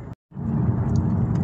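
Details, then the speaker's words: Saab 9-3 Z19DTH 150 diesel, warm, test drive after replacing the crank sensor for code P0335: deep, steady drone under gently feathered throttle with no stumble or surging. The earlier hesitation and rough idle are gone. "I'm just coming off the throttle, gently feathering the throttle, and it's absolutely fine and dandy."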